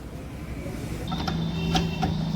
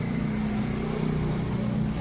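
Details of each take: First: Royal Enfield Classic Reborn 350 (new model, BS6) over a low engine rumble with sharp metallic clunks ("khat khat") over bumps, unresolved at other shops; not loose silencer bolts or handle nut; cause found to be a loose exhaust mounting stud nut. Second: Royal Enfield Classic Reborn 350 after repair of a khat-khat clunk over bumps; silencer refitted, bike bounced while running, steady even low engine thump with no knocks or clunks, earlier noise gone. Normal running, no clunk.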